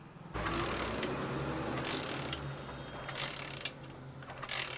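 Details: Hero Splendor Plus kick-start no-start: repeated ratcheting kick-lever clatter and spring clicks with no firing; failed CDI found, tested with a replacement unit.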